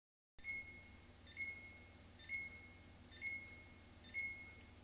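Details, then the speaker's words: Samsung refrigerator beeps about once a second with a door-open alarm, and there is no water or ice; the doors were refitted misaligned after removal, so the door magnet isn't sensed, and the fix was splicing the sensor wires to bypass it. "it keeps beeping they did take out the doors to get it through the other door so I my guess is they didn't put the doors in flush so it's not aligning with this magnet to that magnet"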